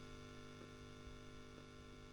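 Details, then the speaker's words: Selmer Little Giant single-ended valve amp converted toward a 5F2-A Princeton with negative feedback, Elac speaker, at full volume; faint steady low hum with light buzz, no crackle, normal quiet background noise for the amp. "that's the noise we've got which you'd expect that from a single ended amp very [Music] quiet"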